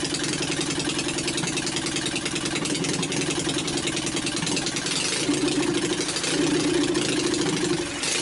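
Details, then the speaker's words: Old Onan 22hp opposed twin with points ignition retrofit, new battery, just started on starting fluid: choppy uneven beat with occasional stumbles; rough running until carburetor adjusted and points dwell tuned. "you heard how it smoothed out better once I got the uh carburetor adjusted a little bit and then tuned in the points to get the dwell where it wanted to be"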